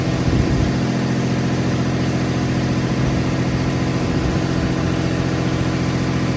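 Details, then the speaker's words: 1995 Toyota 4Runner 3.0 V6 after fixing misfire by reconnecting a part: steady, even, slightly higher idle, no stumble; major exhaust leak puff remains, belt squeak noted earlier, engine now smooth. "Oh, DJ, that fixed it. A little higher idle. She sounds smooth now."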